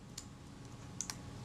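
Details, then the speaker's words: Kodak Retina IB (type 019-II) Synchro-Compur shutter during reassembly, after moving the advance rack one tooth: quiet room, then a light click and a quick double click as the shutter cocks before the film advance stroke ends; normal shutter cocking. "You can just hear the shutter cocking before I got to the end of the film advance stroke."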